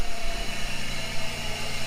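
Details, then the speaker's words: 1997 Chevrolet Camaro six-cylinder: low even rumble, steady idle on all cylinders; oil still dirty. "quite happy about that I know I'm going to have to change the oil one more time due to all the crap in the oil but that is a nice sound right there"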